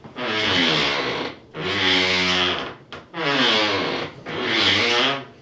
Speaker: Imagine getting up super early in the morning to shower to go to work, and your shower door makes this sound, and your wife's sleeping right on the other side of the wall.